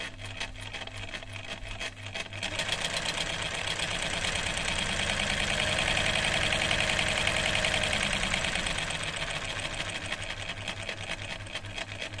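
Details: Chaika 144A sewing machine after repair (motor refitted with shimmed rotor, needle positioning and mechanism fixed): quick even mechanical ticking, about three or four beats a second, speeding up and easing off smoothly; runs sound.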